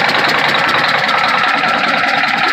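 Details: Detroit Diesel Series 60 11.1 in a Freightliner FLD120, hard cold start with bad injectors; rapid even knock about ten per second over harsh idle without throttle; owner suspects sticking valves, unconfirmed; engine knock at idle.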